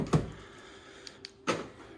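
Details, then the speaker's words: Ford Fiesta Titanium, replacement door fitted and wiring reconnected, central locking being tested: two crisp mechanical thunks about 1.5 s apart with faint clicks between. This door's lock actuator works, normal operation. "but at least this one yeah you can hear it locking as well"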